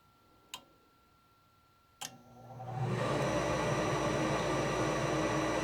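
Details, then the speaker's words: Furnace inducer motor at start during a pressure switch test: two clicks, then it spools up within a second into a steady, even whoosh with a faint thin tone. Draft reaches 1.85, enough to close the pressure switch. Normal inducer start. "so we know the inducer motor is able to pull enough draft to close the switch"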